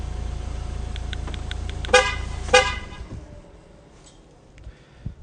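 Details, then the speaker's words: Remote-start system fitted to a 2016-2018 Ford Fusion (USA): after fob-start (three presses of Lock), three more Lock presses stop it; low steady idle, two short horn chirps, then the engine dies away, remote shutdown working correctly. "Автомобиль заглох. Значит, все работает. Супер."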